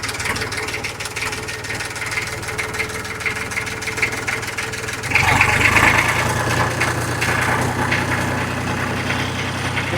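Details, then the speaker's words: 36-year-old imported Massey Ferguson tractor, idling right after a one-try cold start; even, steady diesel clatter with no knocks, misses or hunting, described as very quiet, loud only under acceleration; healthy idle. "ഇതാണ് ഇതിന്റെ ideal sound വരുന്നത്. കേൾക്കാൻ പറ്റും. ഭയങ്കര silent ആണ് സത്യം പറഞ്ഞു കഴിഞ്ഞാല്."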